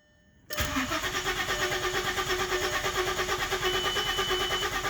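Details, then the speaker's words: VW Passat wagon that won't start: the starter cranks steadily at about three turns a second with only faint sputters and never catches, with no fault codes stored; a flooded engine with wet, fouled spark plugs. "The engine will crank, have a couple sputters, but will not start."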